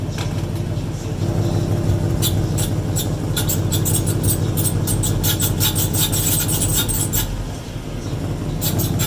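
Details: 2014 Mustang GT with newly installed one-piece aluminum driveshaft: quick repeated high squeaks and rubbing ticks in bursts over steady drivetrain hum; unclear whether break-in or a serious problem.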